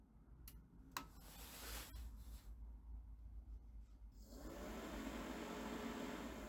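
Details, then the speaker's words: New cheap Chinese diesel air heater powered by a computer ATX power supply, first startup: a few clicks, then the fan rises into a smooth, steady whoosh while the display shows H3 and the glow plug seemingly preheats; normal. "I hear the ventilator spinning. The display says H3 and I have the little glow plug right here."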